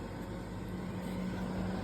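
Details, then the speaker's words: Engraving machine ventilation with outside exhaust: steady low drone as exhaust suction spins the machine's internal fan motor, with a secondary revving that slowly firms up; owner suspects leaving the internal fan enabled in software may be counterproductive. "So when I turn this on, you'll hear this motor turning because the suction is causing the turbines to turn."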